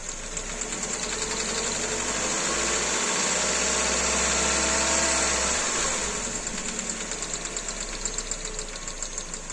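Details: Kia Rio 2 with G4EE engine: a regular light ticking knock, about three per second, over a steady idle. The cause of the engine knock is unknown.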